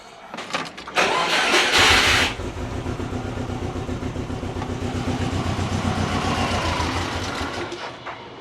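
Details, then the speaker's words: Turbo Subaru Forester with Haltech Elite 550 ECU, fuel pump fuse pulled to drain the rails before fitting 980cc injectors: cranks, catches, runs rough and steady, then fades and dies as fuel pressure runs out, a stall from fuel starvation. "Lost fuel pressure. That's good. Right, let's turn the car off."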